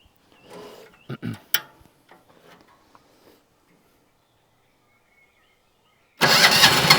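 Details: Single-cylinder diesel on a Winget mixer, stood a couple of years, after repairs and filter refitted, second start: catches at once and runs with a loud, even, fairly quiet beat; normal start and idle.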